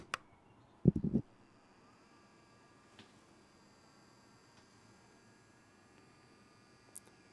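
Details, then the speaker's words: Reef Factory Smart Feeder auto feeder running with food hopper removed, microphone held right next to it: very faint steady whir with tiny clicks, barely audible; normal quiet operation. "I almost can't hear it three inches away from my face it's super quiet so you'll never know"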